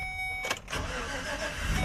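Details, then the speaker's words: 2014 GMC Savana (Chevy Express) with P0230 fuel pump relay control circuit code, starting on its own once the relay is controlled, though an open from relay to PCM is still unrepaired: short crank, fires and settles to steady even idle without stumble. "So if I move this, this thing should actually start now all on its own without my... Look at that. Starts and runs."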